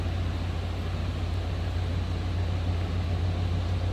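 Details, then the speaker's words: 1994 Chevrolet Silverado K1500, 5.7-liter V8, about 169,730 miles, heard from the rear: smooth, even low rumble with steady pulse, no ticks or knocks; idling healthy. "Sounds as you'd expect. 5.7 liter V8 underneath the hood."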